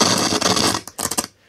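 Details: Sony FH7 MkII stereo system, early-to-mid-1980s, on the bench during service: harsh crackle and scratchy noise breaking up and dropping out as the volume knob turns, a very scratchy, dirty volume pot needing cleaning.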